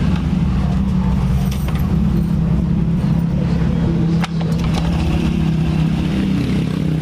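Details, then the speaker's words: Honda Scoopy scooter (12-inch rims) after repairing the noisy CVT 'klotok' knock: smooth steady low idle hum, no clunking, idle speed no longer rising and falling as before; normal idle. "suaranya bisa teman-teman enggak dengarkan dan putaran di bagian Fidel ini tidak naik turun tidak seperti tadi pertama dia naik turun ya"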